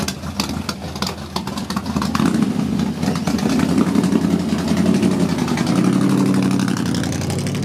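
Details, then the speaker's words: 1937 GMC pickup, rebuilt 283 small-block Chevy with headers, electronic ignition, Edelbrock XC8 manifold with four Holley 94 carbs, 3-speed manual: a brief crank, then it catches quickly and settles into a steady, even, lumpy V8 idle with no knocks or misses. A normal start. "go ahead and jump in it right now I'm gonna start it you know hear it start and I'm just gonna drive it around the parking lot"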